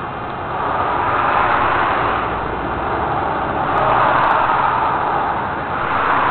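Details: Toyota 7M-GE misfiring, with no spark on cylinder 6, later found to have a blown head gasket: uneven, lumpy idle with a stumbling beat about three times a second and a loping surge.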